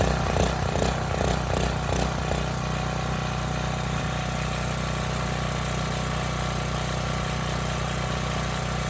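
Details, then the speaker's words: Neglected Briggs & Stratton Storm Responder generator; steady even single-cylinder drone, no misses or knocks; starts, runs, both 120 V legs make power; normal running. "so still some nuts flying out of there but you know what can I say it starts it runs it makes power both 120 legs seem to work fine the engine sounds good"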